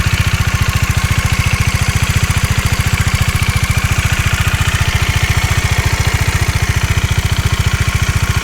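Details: Bajaj Dominar 400 at 16,000 km, idle; light even tick about three or four times a second over the engine, tappet noise from excessive valve shim clearance.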